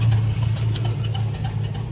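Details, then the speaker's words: 2006 Chevrolet Silverado V8 idling, deep steady hum with faint irregular light rattles; noise persists after starter and flex plate replacement, owner suspects an internal problem or a dried-out rear main seal, unconfirmed. "Well, I got the flex plate switched out. And unfortunately, still making the noise. That tells me it's either internal or the rear main seal's dried out."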